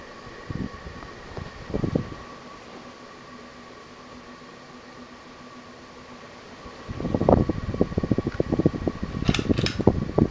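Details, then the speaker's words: 1984 Guibb GE Vent 42-inch (107 cm) direct-drive ceiling fan, made in Taiwan, on high speed: low motor hum that persists despite oiling, then uneven rattling knocks with the sway; it wobbles heavily from unevenly bent brackets, with noisy bearings. "okay so um here it is on high speeded wobbles a lot because the brackets are bent in different ways you know"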